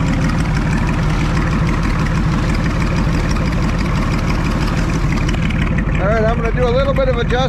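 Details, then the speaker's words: Farmall 560 tractor just fired up after its carburetor was reinstalled, idle not yet set: a steady, even low rumble with no misses or knocks, music near the end. It sounds good; normal idle. "there but boy it sounds good"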